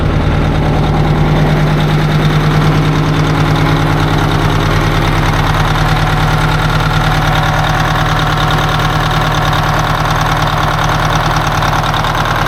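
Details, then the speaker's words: 1980 Peterbilt 359 diesel on first start: loud rough idle with uneven lumpy beat about twice a second, one cylinder missing; coldest cylinder's injector slobbering, tune-up needed. "that one's definitely the coldest they slobbering are making a mess oh boy it don't sound good I don't like the sound of th"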